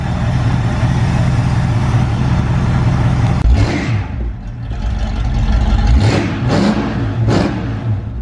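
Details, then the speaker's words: 1973 Mustang GT V8, sat dusty in the shop, hard to start on an incline with an empty carburetor: lumpy burble with throttle blips, revs rising and falling cleanly, running a little rich but fine. "yeah so she's just been sitting in the shop collecting dust but it's good to hear her purr again"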